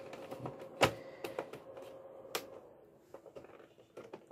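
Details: PlayStation 2 fat disc tray after the housing was trimmed to clear it, screws not yet tightened. A few crisp clicks and a light motor whirr as the tray travels, with no grinding, show normal tray operation.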